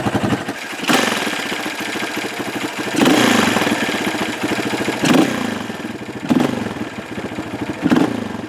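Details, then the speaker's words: 2003 Honda CRF230F single, fuel screw about a quarter turn out after one and a half: idle with repeated throttle blips, each rev-up hesitating briefly; bog milder, almost gone, still mixture-related. "Less of a bog. Man, it's almost gone."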